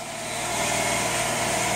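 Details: 2007 Ford Territory 4.0 L six, automatic, no fault codes or check light, at full throttle: revs climb slowly and flatten out, sounding choked; a blocked catalytic converter, not the transmission, is the cause.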